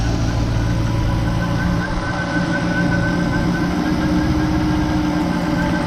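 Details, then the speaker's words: Jeep Grand Cherokee Trackhawk idling while Berryman fuel system cleaner is fed through a vacuum hose: steady, even idle with low droning hum and faint shifting tone, no clear knock; normal during intake cleaner treatment. "So we're gonna let it run. We're gonna let it run until that chemical runs out. Then we're gonna turn it off."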